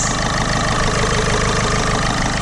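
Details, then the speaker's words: 2007 Ford Fiesta 1.4 TDCi diesel, previously misfiring with injector faults, idles steadily with even clatter and no stumbles, running on all cylinders. Airbox off and MAF unplugged; black oil, due a service. Normal idle. "that's actually running it's not misfiring it's running fine I think it needs a good service"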